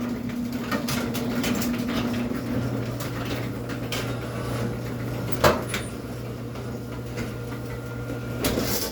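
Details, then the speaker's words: Sears pan garage door driven by a custom Craftsman belt-drive opener, closing: low steady motor hum as the door travels down, broken by sharp clunks partway and near the end; the door panels are buckling. "But as you can hear, the door does still buckle."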